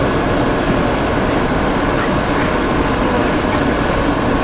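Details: Monarch lathe spindle running at 90 RPM, then 12 RPM: steady even headstock drone, mostly motor noise, with no knocking, whining or grinding; smooth normal running.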